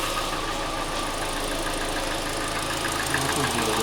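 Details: Hyundai i40 or Kia Sportage 2.0 G4NA/G4KD engine: sharp, uneven tapping at idle, about three knocks a second over a light engine hum; endoscopy found scored cylinder walls causing the knock; plugs changed, timing chain kit bought.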